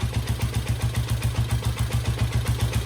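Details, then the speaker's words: 1972 Honda CL350 twin during carb mixture adjustment, pilot screw backed out about a quarter turn until idle falls off: slow, even low putts around 220 a minute, nearly dying. Finding: idle drop from pilot screw set too far out. "Right there, see how it fell off? I'm gonna keep track of how much I'm turning that."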